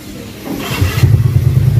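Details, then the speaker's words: Scooter after replacing the torque drive assembly with a new one: engine picks up from quiet idle to a steady low drone, only airbox intake hum, no drive rattle; CVT noise gone, transmission healthy. "Yan mga bok, wala nang ingay. Air filter na lang yung ano. Ay yung airbox na lang yung naririnig yung mga bok."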